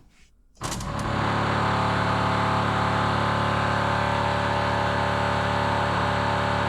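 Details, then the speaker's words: Rover SD1 V8 rally car sitting unused over 20 years, priming 10 L of fresh fuel: electric fuel pump runs with a loud, even buzzing drone that never quietens, working but not pumping fuel. "That is a noisy pump. Don't don't sound like the pump's picking it up cuz they know the pump's normally quietened down when they pick the fuel up."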